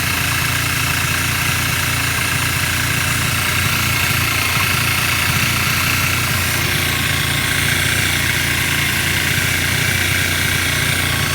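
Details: 2010 Kawasaki Ninja 250R idling on full choke, first start after a few days, running 10 minutes: steady buzzy idle with busy rattly top end and fast uneven patter; owner also reports stalling at idle, throttle sometimes not revving; cause unknown.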